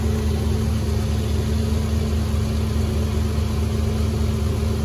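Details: 2015 Infiniti Q50 3.7L, first start after new NGK spark plugs and an oil change, oil cap left off: smooth, steady low idle with an even hum and no misses, ticks or knocks, healthy.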